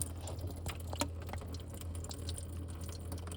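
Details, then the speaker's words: Fhiaba refrigerator ice maker during a manual clean cycle; the inlet valves stay open about 40 seconds with the drawer closed. A steady low valve hum runs with faint trickling as water cascades into the bin, so the fill is normal. "valves running. I don't want to open the drawer because I don't want water to go anywhere except into this bin, but you can probably hear the water cascading into the bin."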